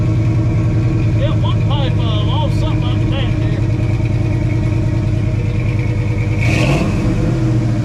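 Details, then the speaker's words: 1968 Ford F250 "Ole Red" with Ford 360 FE V8 after tune, carburetor adjusted by ear, one tailpipe on this side straight out back: loud, steady V8 rumble, deep even exhaust note, brief rev near end; runs clean, sounds tuned up. "hey hey hey old man that sound like a tuned up engine on it sounds good I didn't put a I just ear chroma nerd it I just put my ear on it and adjusted It Out by ear uh I think the carburetor is running good thank God"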